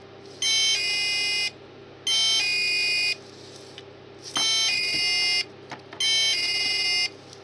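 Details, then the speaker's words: Mini keypad alarm on chime setting gives four one-second bursts of rough, raspy high buzz instead of a clean beep, and it is very quiet. The sounder or circuit board is suspected faulty, not confirmed. "okay hey that's an awful sound"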